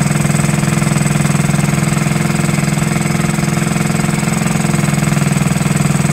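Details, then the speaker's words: 1969–70 Honda Z50 after 35 years, ticks over at a steady even beat about two and a half pulses a second; smooth normal idle, points and carburetor never cleaned. "there you have it running after 35 years first like a kitten didn't even have to clean the points or the carburetor amazing now I have"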